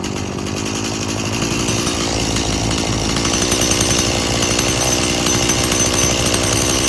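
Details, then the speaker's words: About 19-year-old boggy Stihl MS170 chainsaw that needs a lot of fuel: raspy buzz climbs unevenly and never settles, with a boggy, labouring note; an air leak is found, and the carburetor is believed good. "right, so we obviously got a air leak. Well, as you see that last time, I choked it right out with a quick spray. So, pretty sure the carburetor is good."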